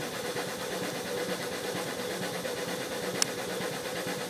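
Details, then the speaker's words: Used, apparently all-original Duo-Art rotary vacuum pump for a player piano, running before the vacuum gauge is fitted: steady soft chugging with an even mechanical rhythm and no knocks or rattles. Running smoothly, normal. "And you can hear it chugging away."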